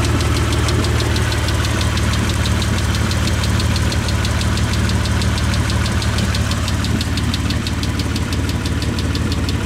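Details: 1998 Mitsubishi 3000GT SL at idle: sharp, fast even lifter tick over a loud, raspy idle, loud because of a tiny hole in the upper exhaust; both later fixed.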